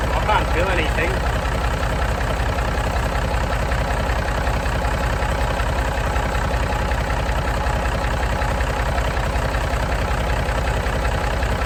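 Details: Massey Ferguson 135 diesel tractor started to check dynamo voltage with a multimeter before working on the regulator box: steady, even clatter at a settled idle with no knocks, scraping or speed hunting; running healthy, not getting hot.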